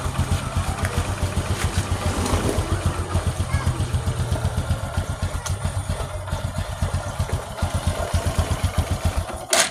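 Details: Honda Supra X 125 single-cylinder after repair, with its rotary centrifugal oil filter cleaned: even, steady idle thumps about 2.5 per second with no rattle. This is a normal, smooth idle.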